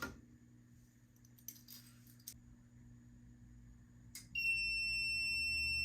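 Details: FireLite MS-2 fire alarm panel triggered by a BG-12L pull station: after a quiet room and a mechanical clack, a loud, steady high-pitched alarm tone.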